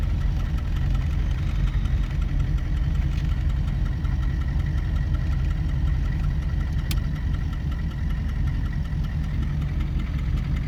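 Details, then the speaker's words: 1978 Chevy Malibu with swapped 6.2 L diesel, HX35 turbo, Turbo 400, 3-inch straight pipes, on the road: deep steady drone with normal light clatter, pulling evenly without misses or knocks; healthy turbo diesel. "not a speed demon but it does pretty good with the torque and this being a pretty light car it takes off pretty good spools up real nice"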